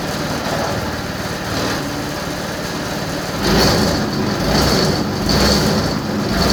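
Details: Yamaha Vino 125 scooter after starter clutch replacement (starter previously failed to engage when warm): engine catches and settles into a steady, even idle with no knocking or clatter; starting and running properly.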